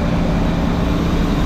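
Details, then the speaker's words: Motorhome V8 idling after sitting over 10 years: steady, even low rumble, no knocks or misses, some smoke and a possible oil or exhaust leak; smooth normal idle. "as you can see guys this thing is purring like a kitten she sounds great she sounds nice and smooth there's a little bit of smoke but what do you expect for sitting for 10 years i can't believe it's actually sitting here idling"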